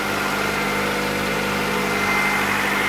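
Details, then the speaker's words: Honda/Acura after replacing the distributor's internal ignition coil: even, steady idle with constant hum and no misses or stumbles; starts and runs normally, no smoke. "all right cars out the garage and it sounds like it's normal self"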